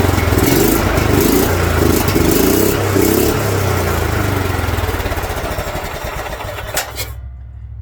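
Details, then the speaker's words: Kohler single-cylinder engine in a John Deere LT150 mower revs far higher than it should, unchecked, before dropping off and shutting down: governor failure, engine over-revving, requiring engine removal and governor replacement. "as you can tell it's allowing me to rev it way higher than it should and the higher it revs the more resistance to revving it will provide that Governor says no no no"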